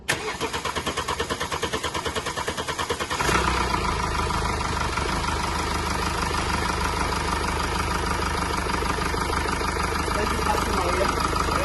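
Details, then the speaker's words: 2017 Mercedes E-Class W212, 654 diesel, 153,000 mileage, after rocker arm replacement and refitting injectors with new washers: it cranks, fires and settles to a smooth, even idle with no ticking or knocking. "and as you can see it's running sweet now as you can see it's running very sweet now"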